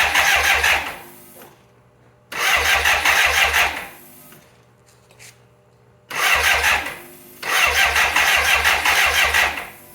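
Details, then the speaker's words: 1985 BMW K100 motorcycle, fire-damaged and sitting 6 years, plugs just refitted: several bursts of fast, even cranking, about three turns a second, with no firing; cranks but won't start. Later a relay with something loose inside was suspected. "Okay, we got the bike torn down again, trying to find out why this thing won't start."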